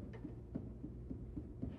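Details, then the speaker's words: 1967 Jaguar E-Type IRS rear hub being set up on the bench, nut torqued to about 20 lb: faint dull clicks about four times a second as the hub is rocked; wheel bearing end float, to be measured and shimmed. "Now, this has a bit of movement back and forth. I don't know if that comes through very much, but you can hear it clicking."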